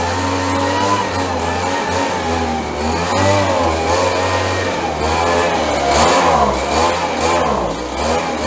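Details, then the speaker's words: 30-year-old Stihl BG72 two-stroke blower, cold on choke after repairs: surges and wavers in pitch, never settling to an even idle; rough running when cold, runs much better once warmed up. "Sounds like we need a little work here. Runs much better when it warms up."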